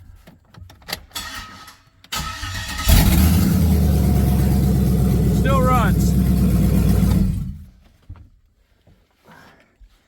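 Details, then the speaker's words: Truck 5.3L LS V8 with unused harness sections unhooked and exhaust cut off: short crank, catches quickly, steady even run, loud from open exhaust, then clean shutdown; healthy. "still runs a little louder because I cut the exhaust off right now but yeah that's where we're at"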